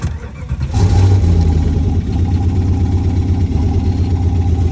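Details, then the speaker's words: 1995 Jeep Grand Cherokee ZJ V8, muffler removed, after a sensor swap and EGR cable tightening: it revs, then settles into a lumpy, wavering idle. It hesitates badly under any throttle. "Seems slightly better. Not really. Yeah, hella hesitating. So now at least the Jeep starts, but it's not drivable at all whatsoever since it hesitates like crazy when you give it any throttle."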